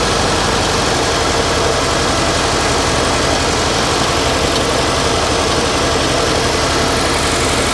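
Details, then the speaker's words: 1989 Winnebago LeSharo RV after vacuum leak repair: loud, steady petrol idle with an even beat and no hiss or whistle; normal idle, though idle bypass valve may have been turned down too far. "definitely don't hear that vacuum leak anymore but I might need to play with the uh the idle cuz I did Jack with it I might have turned it down too much"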